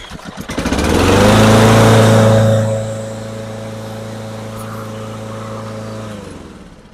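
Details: Lawn-Boy self-propelled mower after a carburetor clean: the small single-cylinder engine catches, revs up briefly, then settles into a steady, even idle with no misses or surging; it runs healthy.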